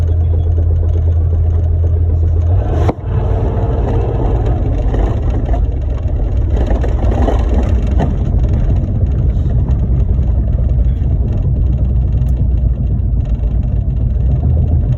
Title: Clunk sound